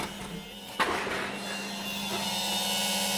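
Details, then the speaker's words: Smart car fuel pump tested out of the tank with ECU connected, triggered by unlocking the car: a soft click then a steady low electric hum for a few seconds; the fuel pump is priming properly. "so that was a different noise that definitely sounded like the fuel pump turned on there for sure"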